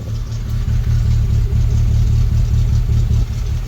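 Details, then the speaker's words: Rover 25 GTI 1.8L VVC petrol idling high and rough once warm, revs wobbling instead of settling; owner suspects the IACV or head gasket, and unplugging the TPS only raised the revs. "Right, I'm sure you can tell from this beautiful sound and the fact that the revs are still quite high, then it's wobbling around a bit. It's not gotten better."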